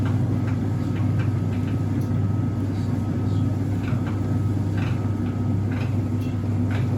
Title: Faulty Whirlpool Heat Pump Tumble Dryer. What is this noise?